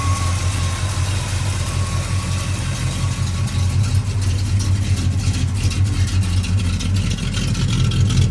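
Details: Ford F-250 running again after repair, rough idle with a puffing tick on each exhaust pulse that quickens with revs; one remaining exhaust leak still to fix.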